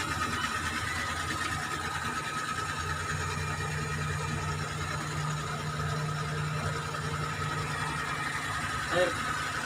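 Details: Suzuki F6A three-cylinder: smooth, even idle with a steady, regular beat and no stumbles; it runs healthy.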